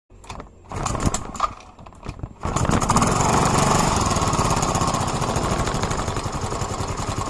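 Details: Yamaha Mio M3 scooter engine running after start: busy, light, fast ticking rattle keeping pace with the engine; owner asks whether it is the valves, source unclear. Engine ticking noise.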